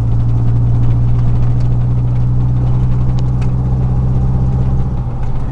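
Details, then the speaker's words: 2000 Chevy 4.8 V8 truck idling with four coils deliberately unplugged as an experiment, running on four cylinders; deep, uneven idle with a heavy lumpy pulse instead of a smooth V8 burble. "Truck sound a little bit different today. Don't know what it could be. Sounds like four of my cylinders quit working."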